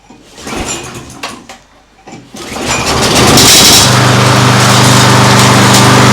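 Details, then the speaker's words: Old lawn mower engine for homemade outboard, on fresh fuel: cranks a few times, catches and settles into a steady even buzz with no misses; runs fine though the mower deck is falling apart. "will runs fine but it is totally coming apart underneath well doesn't matter we only need the engine well it sounded fine"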